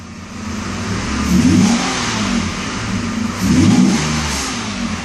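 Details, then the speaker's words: 1992 Mercedes 600 V12, early production, with limp mode deliberately induced (ASR fault, throttle bodies previously repaired): with the pedal floored, two slow, strained, choppy rev rises climb only slightly and sag back. "and you hear how difficult it is for engine to accelerate to rev up that was flooting the gas pedal [Music] actually very choppy very slow acceleration very hard acceleration like it's very difficult for it to rev up"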